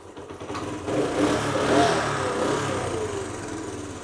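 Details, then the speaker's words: Honda CT110 motorcycle after a basic service, started to idle: small single settles into a steady idle after a brief rev rise, no stumbling or hunting; running way better at idle. "yeah that's running way better at that idle most probably"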